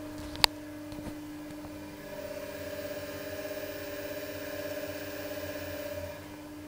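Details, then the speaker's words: Elliott 10M shaper drive motor, lapel mic next to the motor: steady hum with clear even tones, very little grumbling, bearings healthy; noise lies elsewhere (slightly noisy big-pulley bearing, noisy belt). "well now that I get to it I find that the motor bearings are pretty quiet"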